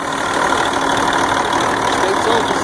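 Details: Truck with bad starter, after jump-starting the starter with jumper cables: engine settles into a steady, even idle with no knocks or misses; normal idle.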